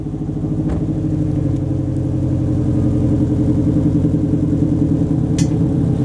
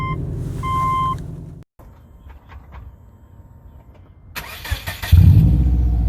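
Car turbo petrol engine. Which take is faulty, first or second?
second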